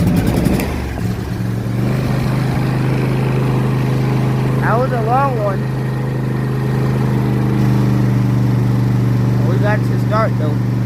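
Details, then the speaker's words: John Deere S130 riding lawn tractor running after an oil change conversion kit install and fresh oil; low steady single-cylinder drone holding an even beat: runs smoothly. "and then we're gonna start it up and make sure it runs good."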